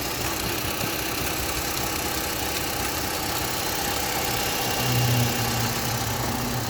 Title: Knocking sound coming from under the engine Opel Astra H 1.4 66kw.